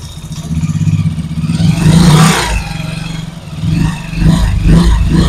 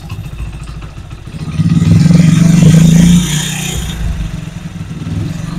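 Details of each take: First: Motorcycle gearbox under load (rear brake held while the clutch is released): an uneven clattering growl that swells as the clutch takes up and is absent with no load; worn gearbox gear. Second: Motorcycle after repair of gearbox/clutch-box noise, in gear with light brake load: engine revs smoothly with no gear whine or clatter; box noise gone, normal gearbox running.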